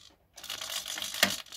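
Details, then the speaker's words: Iron Man Mk45 flap driven by a modified 60-degree digital servo on an aluminium arm sliding along a rail on a Teflon-sleeved screw, run from a servo tester; brief thin whirr ending in a small clack at its stop, opening and closing freely. "open and close. Yeah, but it works pretty good, and I'm pretty happy with that."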